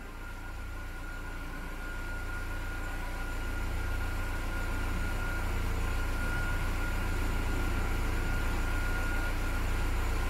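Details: Fiat Palio with e-tork engine that had been getting weak and dying, after sensor service and fault code cleared: steady, even low idle with no misses, stumbles or knocks; healthy running.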